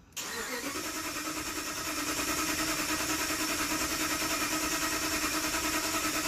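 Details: 2007 Dodge Ram 1500 5.7 Hemi crank no start: starter turns engine over evenly about three beats a second for six seconds but it never fires; RPM gauge shows crank signal, scan shows no security issue.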